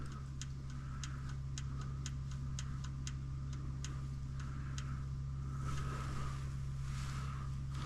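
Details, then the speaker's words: Lift power unit: steady electrical hum with sharp clicks about three or four per second that fade; lift raises but the motor only clicks and won't lower, cause unknown, connection suspected. "This almost sounds like it's just the engine clicking, but it'll go up. I am at a loss."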